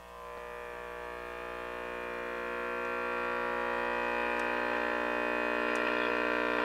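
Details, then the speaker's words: Early-1950s Viking 53-38ARR tube table radio on an isolated supply, after trying to reform the filter capacitor: a steady low hum with a stack of even tones swells as the tubes warm up, mildly better but still loud. "Okay, so it works mildly better, but it's still not working good enough. We still have a loud hum."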